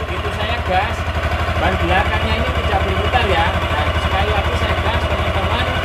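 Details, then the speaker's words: Honda Beat eSP scooter that will not drive: the engine pulses steadily with a coarse, harsh rasp when revved while the rear wheel does not turn, which shows a faulty or snapped CVT drive belt. "Nah kalau kita gas dan suaranya kasar seperti ini Apabila bannya juga ini tidak berputar ini bisa dipastikan bagian panbelnya bermasalah atau panbelnya putus"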